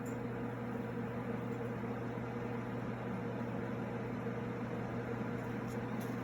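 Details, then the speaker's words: Replacement blower motor in a DIY air cleaner (the old one's bearing seized), test run temporarily wired with the old starting capacitor. A constant low hum and steady airflow rush with no grinding, quieter than before; normal run. "think it's quieter than the other one other motor was too but yeah still moves a very bit of air okay perfect"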